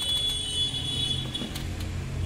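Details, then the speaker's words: Microtek inverter plugged into mains to charge, battery connected: steady shrill electronic tone, no charging or other functions; transformer overheated and burnt, plastic blasted; inverter fault alarm from burnt transformer. "इसमें जो problem है दोस्तों, ये transformer गर्मा करके जल गया।"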